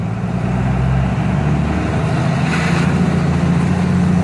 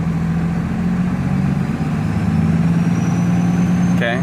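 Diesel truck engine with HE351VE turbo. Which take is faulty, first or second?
second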